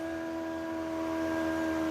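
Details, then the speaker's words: TesStudio voice-controlled power retractable roof sunshade installed in a Tesla Model Y, tested from the back-seat controls after installation: a quiet, steady motor hum with a few even tones, nothing rough or irregular; normal sunshade motor operation. "Pretty quiet motor overall. I'll leave this part in so you can hear how it sounds."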